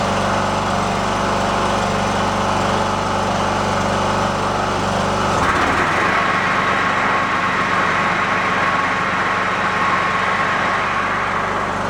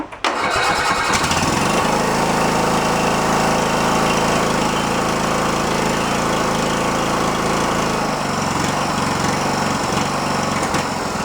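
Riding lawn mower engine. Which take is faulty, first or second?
second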